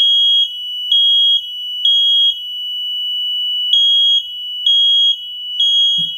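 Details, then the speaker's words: Freshly wired replacement mains-powered smoke alarm, battery tab not yet pulled, sounding on power-up with a loud steady high-pitched tone in bursts about once a second, confirming correct wiring; the interconnected alarm upstairs also sounded, and probably the one in the basement. "Okay. Then that tells me that I hooked it up right. But the other one went off upstairs, I could hear, and I think the one in the basement went off."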